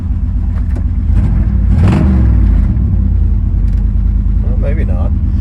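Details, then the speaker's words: 1997 GMC 3500 with 7.4L Vortec 454 V8, runs okay cold then misfires and runs very rich, raw fuel smell, muffler blown by backfire: idle with irregular stumble; fuel pressure bleeds down, cylinder 6 injector stuck open. "so let's see what we got here well there's our first problem okay so we got that clutch problem taken care of let's start this baby up and see what it says it does seem like it's missing"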